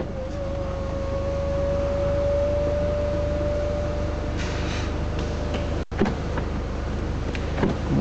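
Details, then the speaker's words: Audi TT Quattro, six-speed manual, convertible roof opening: smooth, steady electric motor whine for about four seconds, then light latch clicks. The roof handle is a little loose but doesn't affect it; no knocks or noises, working normally. "seems to work fine it's just a handle that's a little loose but it doesn't seem to affect the roof it still works quite well no knocks or any noises"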